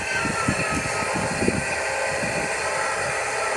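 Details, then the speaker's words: Noisy linear actuator on a DIY two-panel solar tracker, after 5 years' use, repositioning as wind drops: rapid rough buzzing chatter over wind noise, fading after seconds; this actuator is the noisy one, the other is quiet. "vous entendez le bruit est en train de se positionner parce que là il y a moins de vent donc du coup là il est en train de se positionner"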